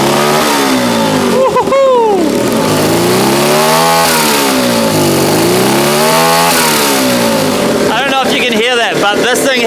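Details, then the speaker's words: Turbocharged 150cc go-kart on E85, first start; revs rise and fall and a fluttering chatter rides over it each time the throttle snaps shut, the turbo flutter. "Here we go. That easy. Look at that. Turbo is falling so good."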